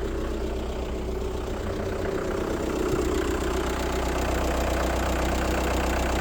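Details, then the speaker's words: Motorhome van diesel, first start after a cylinder head rebuild and fuel line bleeding. It idles smoothly with a steady low beat and no valve tapping, though a little smoky, possibly oil burning off: slight smoke after head rebuild. "It's a bit smoky, but that could well be oil burning off."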